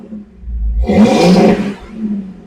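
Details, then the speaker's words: After installing a new universal 2.25-inch catalytic converter and custom exhaust, O2 codes just cleared, revving a bunch: short deep rev rises cleanly and falls to a low burble, smooth, no rattles; richer exhaust note, healthy. "definitely different kind actually much richer in sound let's go check it yeah definitely has a richer note I'm going to leave you back here and go rev it a bunch"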